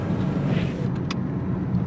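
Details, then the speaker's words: 2011 Chevrolet Malibu LT, 152,982 miles, slow test drive after repair: steady low road rumble with a few light rattles; the customer's helicopter-like grinding and buzzing noise is gone. "I hear no helicopter grinding noise still has some rattles and whatnot but that buzzing helicopter noise is gone"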